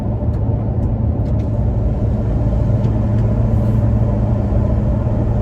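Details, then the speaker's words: Toyota Tacoma in cabin at 55 mph, checking for wind noise from bed-mounted recovery boards: even road rumble and wind wash, no whistling or flutter; normal highway cabin noise. "i don't hear any whistling or weird noises or anything else strange as the wind passes over those uh running boards"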